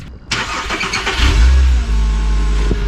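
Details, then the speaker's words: Fresh start of a 280,000-mile VW Rabbit after replacing the broken serpentine belt and fitting the water pump belt: starter whirrs briefly, engine catches quickly and settles into a steady, even idle with no squeal or knock; normal start and idle. "Like new. So I think this belt is gonna be good for another 250,000 miles."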